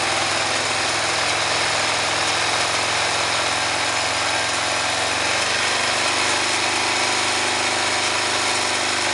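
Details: 2005 Honda Rincon ATV with 300 miles: single-cylinder idle with a harsh gravelly grind from the engine that roughens with each throttle blip; cause not yet found.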